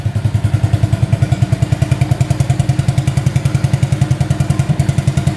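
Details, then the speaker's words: 1985 Honda ATC200S three-wheeler, not run in over a year, restarted on the first pull of the pull start with no smoke: steady, even low single-cylinder thump of about 3.5 beats per second, with no misses or knocks. Normal idle. "Yeah, that sounds pretty darn good. I'm pretty happy with that."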